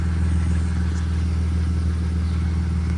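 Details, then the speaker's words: BMW E46 petrol engine idles steadily and evenly with no misfire stumbles after a cam position sensor (P0340) fix, regreasing, and a day with the battery unplugged; it nearly died once after a rev but caught itself. "But as you can hear, it's I don't hear any misfire hiccups at all."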